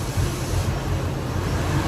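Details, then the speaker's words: 1998 Ford Expedition, about 151,000 miles, EGR codes P0401/P0402/P1401: grounding the EGR vacuum solenoid's green wire at idle makes the deep idle lurch and stumble, nearly dying, then recover. EGR vacuum solenoid works correctly. "What it's going to do is it's going to simulate what we did earlier where the engine kind of starts running rough and almost stumbles and dies. You hear how it's kind of falling all over itself?"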